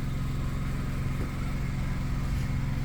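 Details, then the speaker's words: Onboard generator in a 2023 Airstream Rangeline (ProMaster 3500) just started for 120 V house power: steady low engine drone with even beat, no misses or knocks; warming up and running normally. "and now the generator is right running and we should get uh Power pretty quickly"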